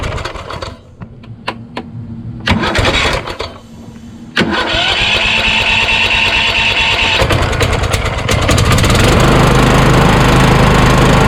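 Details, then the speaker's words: Craftsman YS4500 lawn tractor repowered with Kohler Courage single, starter shimmed out under half a millimeter, about 36°F: uneven cranking bursts and clunks, then engine runs steadily; starter drive hangs up. "go ah you how that hung up again"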